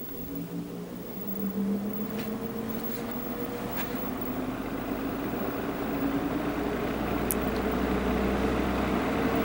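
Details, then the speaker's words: 1950s GE box fan motor after rotor/shaft repair and added oil: smooth steady hum with soft even whir, no ticking or scraping; fan runs quietly, normal. "let's turn it on it's nice and quiet yeah that's running real smooth"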